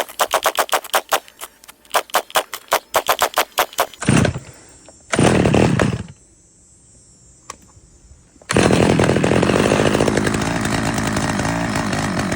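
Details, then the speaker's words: Stihl 011 AVT chainsaw on its first start attempt before carb tuning: sputtering, uneven pulls and bursts that surge and drop off, then a rough high run; the low-speed fuel screw and idle were then adjusted. "As you can hear, it definitely needed some tuning. So, I took it to the bench, adjusted the the low-speed fuel screw and the idle a little bit,"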